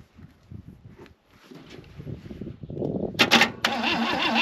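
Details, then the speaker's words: 1966 Chevy Biscayne straight-six, Powerglide, sat about 20 years; uneven starter churning with no firing, fading out. Spark is checked and there is none; a new coil is fitted afterwards. Crank, no start, no spark. "Well, that's a problem. Not really, no. She got no sparky."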